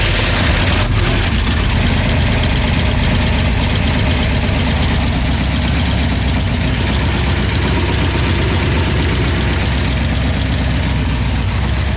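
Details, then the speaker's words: Mustang 302 HO small-block Ford, recently flooded by a sticking carburetor needle and seat, just restarted with fuel: a loud, deep idle that lumps and stumbles unevenly, really rough. The cause is unadjusted hydraulic lifters. "number two is when we got it started up and there's actually fuel in there it was really really rough"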